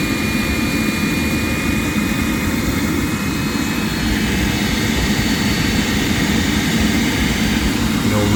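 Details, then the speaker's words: Rinnai RE180 tankless water heater after cleaning of burner, combustion fan and heat exchanger, high fire called by opening the tub: steady burner roar with an even fan hum, no flutter, pulsing or popping; high fire proven, flames good, normal operation. "High fire is running. High fire is proven. Flames all look good."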